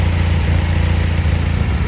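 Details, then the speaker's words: EK Honda Civic, D-series engine, previously surging idle, after rerouting the second exhaust sensor, connecting both, and burping the cooling system by holding 2500 rpm about 45 seconds: low, even idle rumble with no hunting or surging. "I'm idling a lot better and I'm going to check for vacuum leaks but I feel like I'm looking pretty good right now"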